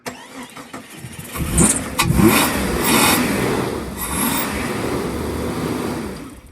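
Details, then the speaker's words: Jeep that stopped starting, cranked with throttle feathered: starter cranks in uneven bursts but engine never catches; crank no start, cause unconfirmed. "think your fuel pump's bad, bud."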